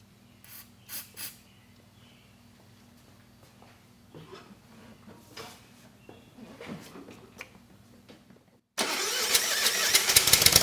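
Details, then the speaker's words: Kohler SV730S-0011 engine on a Bobcat zero-turn mower (Ransomes 942205) roars up after birdsong and holds a loud, steady run with the electric PTO engaged on a severely cracked deck belt; no knock or belt squeal, running fine. "Well, the good news is the PTO it does work and the belt at least it held together long enough for a quick test."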